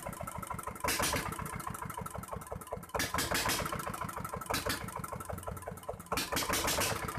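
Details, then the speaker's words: Dongfeng R180 single-cylinder diesel after repair of a squeal from inside the engine, reassembled and hand-cranked: thumps along at an even beat, about nine firing pulses a second, no squeal now. "kita coba engkol diesel kita tidak ada suara berdecit dan langsung itu"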